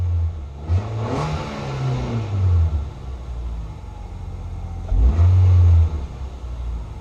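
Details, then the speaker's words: 2006 Nissan Sentra 1.8L with a no-power and rough-idle complaint, during fuel pump replacement; it could also be the alternator. The engine starts and gives two clean throttle blips, revs rising and falling smoothly with no stumble or misfire. Normal revving. "Yeah, it started up. Still good. This one's okay."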